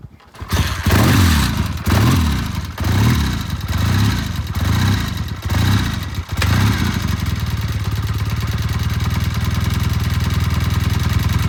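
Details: Vintage Triumph twin, oil-in-frame five-speed, after cleaning pilot jets clogged by E15 gasoline on both carburetors, cold start: fires up, clean throttle blips, then a steady even idle; starts easy, runs smooth.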